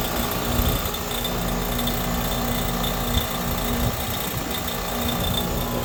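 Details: Goodman 5-ton heat pump running: a steady rattling buzz with uneven clicks over the compressor and fan hum, seemingly from the compressor, not the fan. No debris or loose screws found; source not pinned down.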